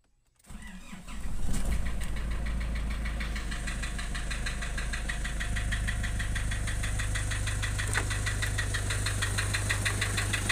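Cranks, catches and settles into a lumpy, uneven diesel idle with irregular knocking, about three beats a second: rough-running diesel. Cause suspected, not confirmed.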